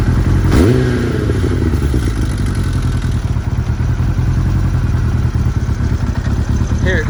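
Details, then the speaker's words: 2002 Kawasaki ZR-7S, daily-used: throttle blip then dry top-end rattle over low tickover, most noticeable on overrun as revs drop; probably cam chain tensioner related. "a bit more on the over run of the engine when you let go of the throttle it's probably cam chain tensioner related so you might get over just putting the tensioner in there"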